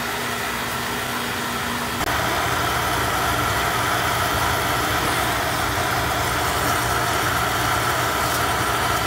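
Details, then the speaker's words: Beckett oil burner on a steel boiler, after service and tank filter change for better oil flow: lights and holds a smooth, even roar with steady fan hum, no rumbling; draft good, no rollout, normal operation. "my drafts good tell the draft's good because we're not getting roll out"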